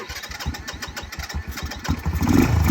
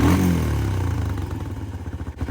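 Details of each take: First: Early-2000s Kymco 150 ATV, sat over 10 years, after carburetor cleaning: starter chugs a couple of seconds, single cylinder catches and settles into a steady, even idle; normal start and idle. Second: Early-2000s Kymco 150 ATV, sat 10+ years, new carburetor fitted, mixture screw being richened: single-cylinder blip, revs sag slowly over about a second into loping idle; slow return suggests slightly lean mixture, not confirmed.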